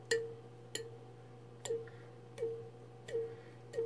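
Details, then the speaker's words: BrotherHobby 1407 4100kv brushless motor on a Komori quad frame, prop flicked by hand: sharp taps each followed by a short fading whine from strong magnets, normal notchy cogging. "You hear that little winding sound after, you know, you hear me hit the prop and then you hear that kind of that whining. That's from the super strong magnets that are in there."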